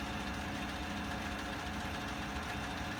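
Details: 2016 Chevrolet Silverado, 40,000 miles, at idle: light, fast tick over a steady idle from the engine compartment; dealer found the vacuum pump failing.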